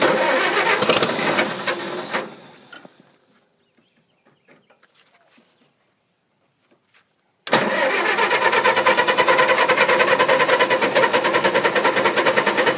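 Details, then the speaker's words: Engine that would not start; owner suspects it is flooded and that the distributor cap has moisture: starter grinds about three beats a second, stops, cranks again five seconds without firing; cranks but won't start, cause unconfirmed. "It's flooded. Pull that distributor cap off and wipe it. I bet it's got moisture in it."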